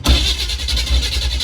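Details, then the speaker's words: 1976 Chevrolet G10 van that sat in mud for 15–20 years, first start attempt with no fuel supply hooked up yet: it cranks with a few uneven firing pulses that catch briefly and won't hold. Starved of fuel. "All right. We need to get some gas. Let's get some gas going, and we'll see if we can't get this fucker started."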